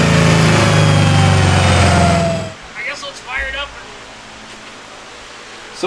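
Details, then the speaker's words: 1972 Dodge Demon with a Hellcat engine swap on the dyno: a loud steady high-rev drone flat at the limiter, then cutoff. The engine flares because the converter is likely too loose; it was okay at 750 crank hp but appears slippery beyond 1,000 hp. "So we've come to the consensus that the converter is more than likely far too loose Yeah. for the amount of power that it's making now."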